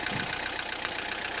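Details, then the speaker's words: Peugeot Partner 1.9 diesel at idle: hard, rapid, even knock over the clatter, louder than normal; mechanic suspects wrong timing-belt setting letting pistons strike valves, like a loose valve; unconfirmed. "يعني الكرهبة تخدم لكن تعمل صوت كما هذا، صوت اللي هو صوت مزعج، صوت يعني كأنه سباب محلول، كأنه"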